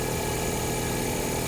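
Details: Abandoned C3 Chevy Corvette at an insurance auction, long-sitting with about half a million miles, trans fluid a little dark: smooth, steady idle with an even hum and no knocks, ticks or misses; the engine sounds healthy.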